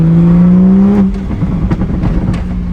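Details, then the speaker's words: Rebuilt wrecked 2023 Toyota Supra on first drive after the crash: revs climb briefly, then pitch drops sharply after about a second as it grabs the next gear early out of first and second; suspected programming issue. "Shift at first. And once, like, it's trying to get out of first and second gear as fast as possible. Dude, I feel like that's a programming thing."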